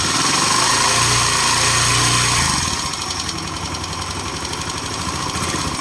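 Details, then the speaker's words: Honda Click 125/150 scooter after water pump replacement and coolant refill (it had been overheating, with white engine oil), running while checking for leaks: a fast start settling to an even idle around four beats a second, no rattles or misses. Normal idle. "ตัวนี้เครื่องยนต์กำลังทำงานนะครับผม"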